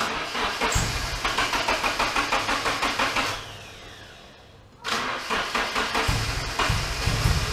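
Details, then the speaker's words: Nissan S13 KA24DE-T with T3 turbo, 370cc side-feed injectors, SAFC 2 and stock MAF: uneven cranking needing throttle, then rough, lumpy idle surging up and down; owner suspects timing or a vacuum leak. "all right well we haven't gotten it sorted yet it starts doesn't sound the greatest because something is either timing or I got a vacuum leak"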